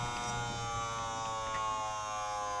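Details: Desktop PC with power supply replaced 2–3 months earlier makes a loud, constant high-pitched electrical buzz that began a month ago; all fans were stopped and ruled out, it seems to come from the CPU area, and the PC freezes while loading.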